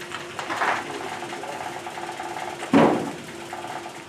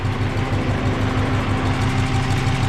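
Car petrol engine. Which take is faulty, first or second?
first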